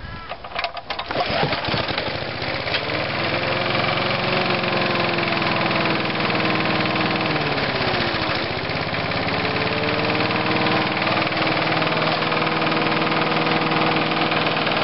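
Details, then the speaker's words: Lawn mower engine right after mowing: steady note dipping and recovering with an uneven tapping about three a second; owner suspects big-end or main bearing knock, not confirmed. "so i just finished mowing the lawn with it and it's got some sort of noise with it sounds like a big end noise or main bearing noise"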